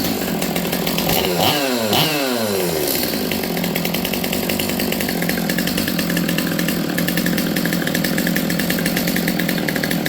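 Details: Stihl MS200T chainsaw, previously boggy, after low-speed jet set three-quarter turn out then slightly rich: revs up and drops back cleanly, then holds a steady high buzz without bogging; runs properly.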